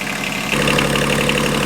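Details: Inboard marine diesel boat engine after head gasket replacement: even steady idle, smooth rhythm, no knocks, misses or odd noises; normal idle.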